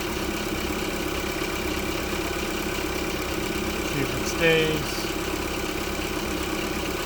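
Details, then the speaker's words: Vehicle just fitted with a replacement alternator (the old one had badly worn brushes): a smooth, even idle with a steady beat and no knocks, squeals or belt chirp. It is charging at about 14.2 V. "all right want to give it a try we're going to start it up and see if she charges nice she's running all right"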